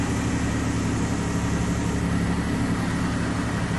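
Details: 2003 Chevy Trailblazer LTZ 4.2 inline-six idling after a rusted fuel pump replacement, with no leaks found. A steady, even low idle with a smooth, unbroken hum and no misses, knocks or whine, healthy.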